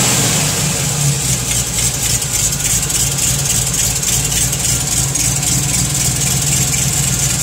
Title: TVR chimaera 400 rover v8 ticking noise